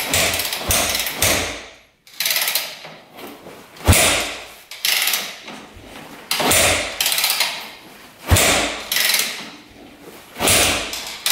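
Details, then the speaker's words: Rebuilt 2001 Yamaha WR250F dirt bike, confirmed good spark and fuel: about seven kick-overs with no catch, cranks but won't start; feels like good compression (hard to kick without decompressor), owner worried rebuilt valves aren't seating. "NADA I'm a little worried about those valves seting huh feels like it has good compression"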